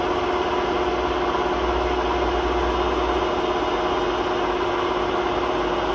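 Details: Hotpoint WMA32 washing machine final spin at 800 rpm with bad drum bearings, before bearing replacement: constant rough roar with a gritty rumble underneath throughout the spin.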